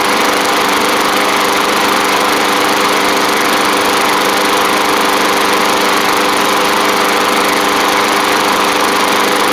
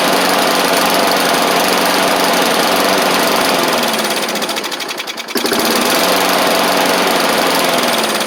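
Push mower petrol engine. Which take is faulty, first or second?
second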